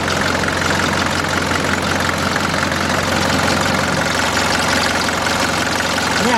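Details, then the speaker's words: 1981 Mercedes-Benz 240D diesel, running cold: uneven shaky clatter with a loud knock, whole vehicle and reservoir tank shaking, worse in Drive; runs rough cold, improves warm. "see how we hear it like the whole vehicle shakin then actually look up under the hood and you can see the reservoir tank have that shaken put it in Drive things really shaken squawking"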